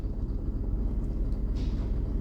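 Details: 2009 GMC with white smoke, reduced power and no pickup, revved from idle: deep V8 with an uneven, lumpy beat from an engine misfire; airflow reading about 9-10 g versus a normal 5-6 g, MAP sensor reads correctly.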